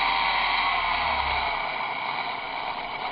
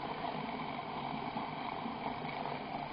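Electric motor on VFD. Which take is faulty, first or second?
second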